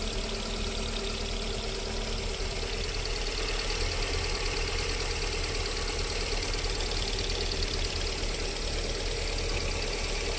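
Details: VAZ 21127 engine idling while cold: an uneven light knock, about three a second, over the steady run. It appears during warm-up up to 40 °C and then disappears; cause unclear.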